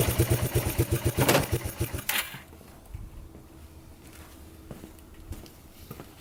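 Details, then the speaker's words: Abandoned Yamaha Breeze ATV on a cold Wisconsin day, test-driven after fixes: the engine pulls with quick, even pulses under throttle, then drops back to a soft, steady idle. It runs, drives and all gears work; normal running. "well there we have it runs drives everything works"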